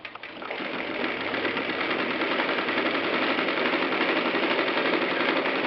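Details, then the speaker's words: Singer 319W electric sewing machine converted to treadle with steel coil spring belt: even, rapid stitching about three beats a second, smooth mechanical hum, no knocks; normal machine sounds, belt adds little noise. "And uh you can hear that it's really just normal machine sounds and and the screen doesn't add a lot of noise to this."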